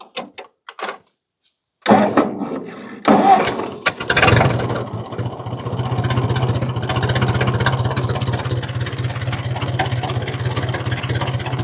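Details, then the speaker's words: 1950 Ford 8N tractor straight-four after cleaning dirty spark plugs, in neutral. After a couple of cranks it settles into a slow, even, low-pitched idle around 300 rpm with no misses; normal idle. "There we're idling at about 300 RPMs."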